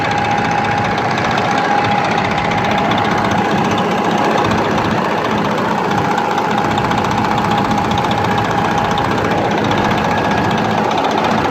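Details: Detroit 12.7 diesel at idle: rough, uneven stumble around 150 a minute over a steady drone; misfire caused by a loose, incorrectly connected injector harness; new harnesses needed.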